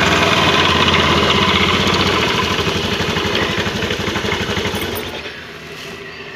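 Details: Honda Beat scooter idling: rough, throbbing helicopter-like flutter about four beats a second from the CVT belt drive, gone when throttled; cause not determined.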